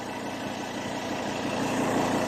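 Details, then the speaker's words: Ford Ranger 3.2 diesel at idle after tightening a nut on top that was causing an odd noise: steady, even idle with the noise gone. "Pinihit lang natin yung nut sa ibabaw. Ayan oh. May nut sa ibabaw. Tinihita natin. Nawala na yung tunog niya."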